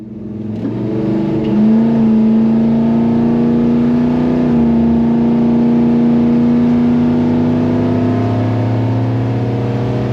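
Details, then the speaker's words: 1964 Dodge 440 bracket car at the drag strip, heard from in-car footage. The engine note climbs hard off the line, then drops almost at once as the transmission grabs second gear too early, costing launch rpm. Next time: shift manually, holding higher rpm in first. "On this next clip, listen to the transmission shift. You can hear it hit second gear almost immediately after the starting line."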